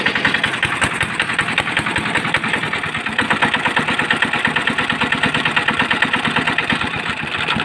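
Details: Small engine after repair of a heavy jam and noise problem, traced to a broken air filter piece pushed into the cylinder between piston and head: quick, even firing beats at a steady idle, no misses or knocks. Normal idle.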